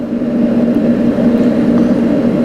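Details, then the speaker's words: New REC TEC Bullseye pellet grill at first start, temperature knob at maximum, auger feeding pellets into the fire pot; steady, even fan hum with a low-mid drone, no rattles or grinding. "we've got that temperature knob cranked all the way up, that auger is spinning, and in just a few moments here you're going to start seeing some pellets come out of that hole."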